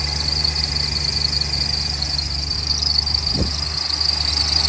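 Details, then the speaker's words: BMW X5 E70 cold idle after water pump replacement, with a steady high-pitched squeal from the serpentine belt slipping because it is slightly too long, one inch over original size. "is what I was talking about it's a squeal noise because the belt is slightly too long"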